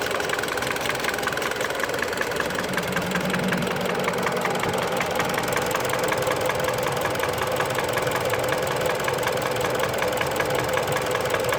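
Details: Mitsubishi Lancer X 4B10 1.8 engine knocking only when fully warm, at idle: steady idle with fast, fairly regular light knock about 160 a minute; source of knock unconfirmed.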